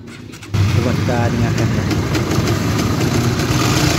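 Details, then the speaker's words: Honda GTR motorcycle: engine catches into a harsh, clattery idle with a rough mechanical rattle over the exhaust beat; rough engine noise, cam chain tensioner suspected. "ya itu tadi ya guys Suaranya sangat kasar biasanya untuk permasalan seperti ini adalah bagian sensionernya"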